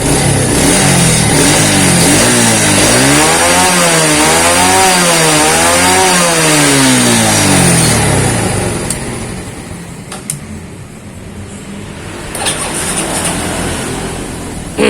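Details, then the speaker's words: Yamaha Vega ZR/R single with Shogun 110 DC CDI replacing AC CDI: catches at once on electric starter despite a sometimes poor contact and weak battery, revs cleanly through repeated blips, settles to idle. "ini juga langsung hidup pakai double starter Ini kontaknya juga kurang konek kadang tapi sudah enak bisa langsung hidup"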